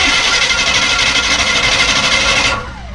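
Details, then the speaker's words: 1952 GMC 1-ton dually truck, just rescued, cranking: harsh high-pitched whirring clatter pulsing about three times a second, then cut off; starter noisy engaging the flywheel, owner suspects it needs to be shimmed. "that flywheel made a lot of noise didn't it when the starter engaged all right I'm going to roll it over a little bit more that starter is making a lot of noise sounds like it needs to be shimmed"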